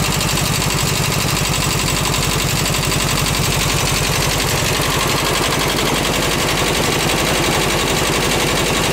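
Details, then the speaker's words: Rescued VW bus engine on its first start, carb uncleaned, fed from a gas can: a loud, lumpy, chuffing idle with one cylinder dropping out. A valve adjustment is planned. "so I'm going to go UHA adjust the vows real quick and see if it uh will kind of smooth out a little bit and uh maybe regain a little bit more composure you hear one cylinder skipping a beat"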